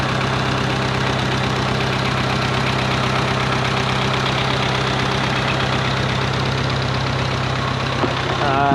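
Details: 1951 Farmall Cub tractor after a carburetor clean, fresh fuel and rewiring, just started: an even, low putter at a steady idle with no knock or miss; idles smoothly.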